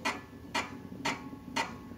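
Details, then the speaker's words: Vespa VBB front wheel spun by hand with a Bajaj brake drum fitted in place of the original: light, sharp ticks about twice a second as the ill-fitting drum, a different size, catches; fix is fitting the original drum. Brake drum ticking. "biasanya bunyi tek tek tek tek tek tek tek di roda depan ini nanti kita coba ya"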